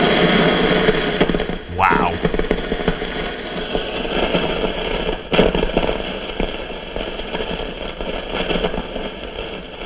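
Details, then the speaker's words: RCA CR-88 1940s radio receiver, 4700 pF mica capacitor tested on a noise tester with gain up: loud, irregular popping, sputtering static with no rhythm; noisy, failing mica capacitor. "I definitely say that that's bad so you know that that one's bad"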